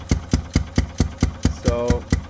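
Heavy, evenly spaced thumps about five per second, lumpy and shaking, like a single cylinder struggling and puffing back through the intake. Cause suspected, not confirmed.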